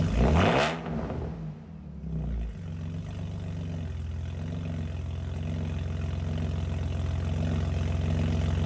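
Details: BMW E46 wagon on first cold start after an eBay header install, basically straight-piped with only the first resonator and no muffler; a sharp loud bark on startup, then a deep, rapid, raw drone at fast idle, far too loud.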